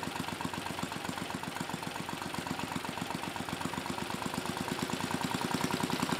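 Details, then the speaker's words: Mid-1980s Troy-Bilt Junior tiller, 3 hp Tecumseh HS35 engine (H35-45593R), after carburetor cleaning; pilot needle fine-tuned, idle brought down to about 1,000 RPM. Steady, even low putter with regular firing pulses, no misses or knocks; normal smooth idle. "it took a few poles to start but once it started it ran great you know I fine-tuned the pilot needle just a bit and then I brought the idle down really as far as I could get it which was about 1,000 RPM"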